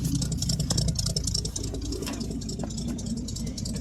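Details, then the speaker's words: 1967 Chevrolet C10 small-block V8 just started after 3–4 years sitting: slow, slightly loping idle with steady low rumble, no knocks or ticks; has oil pressure, sounds healthy. "oh still runs anyway don't sound bad got oil"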